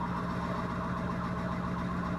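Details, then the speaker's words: Sailboat electric motor running on test, stuffing box not overheating: steady droning hum with thin whining screech, propeller cavitation, squawking as bubbles burst. "That noise, like screeching, is actually cavitation on the propeller."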